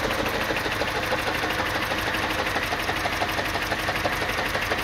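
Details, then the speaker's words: 2007 Mini One 1.4 petrol, six-speed, idling: uneven stumbling pulse about three times a second under a steady buzz; engine lumpy, warning light flashes on revving; misfire somewhere, cause unclear. "and here it just sounds a little bit lumpy and give it a bit of a REV the light flashes"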